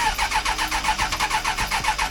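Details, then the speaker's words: 1996 Suzuki Bandit GSF600S after carb rework with re-jetting, cold on choke with a fully charged battery: steady cranking at about six pulses a second, slow to catch, and it wants to die with any throttle; hard cold start, though improving. "Give it any throttle it wants to die. But it's doing better."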